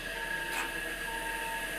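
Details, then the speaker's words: Three-phase 3/4 hp motor from a LeBlond lathe, run off a phase converter, briefly powered via breaker: clean whine rises and holds steady, no clunk or stutter; bearings later said to need lubrication. Normal motor start. "right so it fires up doesn't sound too bad it didn't really kick around a lot so we don't have to worry about that"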